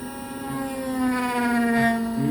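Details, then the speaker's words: Microdrill on a mollusc shell test sample, second pass dropping into the same spot to check for shift: steady mid-pitched motor whine with a few faint brief scuffs as the bit barely touches the rim; no shift, normal. "So you hear that? It barely touched the edge, so that's good. Most of the drop was in the trough."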